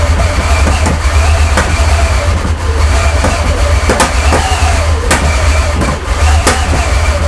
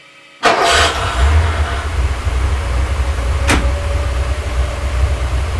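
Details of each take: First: Porsche 928 V8 at its first start after an engine rebuild, with the airbox loosely fitted: rough, lumpy running with irregular pops and bangs for about 15 seconds, then it stalls. Misfire. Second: Porsche 928 V8, first start after an engine rebuild and 18 months non-running, small leaks tightened. Fires promptly and settles straight into a steady, even V8 burble with no hunting or stumbling: normal idle.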